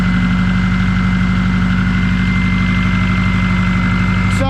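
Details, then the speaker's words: Car finally restarted after repair, idling: steady, even idle with a faint thin whistle from a small vacuum leak; the diverter pipe is also cracked, causing boost leaks. "That's a lot better, actually. You can hear the little vacuum"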